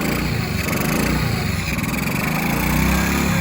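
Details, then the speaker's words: Honda CG 160 brought in for engine noise: a low, lumpy single-cylinder putter that is slow and lazy at idle. Idle speed is set too low; it was then adjusted to a perfect idle. "Solta aí para ver solta muito lento Muito lento agora deu lenta perfeita"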